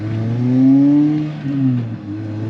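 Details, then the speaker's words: 2ZZ Pontiac Vibe GT after exhaust header porting and exhaust work, warmed up; clean even revs with steady, slightly loud muffler tone, earlier exhaust leak noise from up front now gone; muffler still a bit loud; normal exhaust note. "but uh it sounds sounds really good I'm not hearing that noise I could hear some sort of exhaust noise coming out from up here and now that's gone and all I hear really is Muffler"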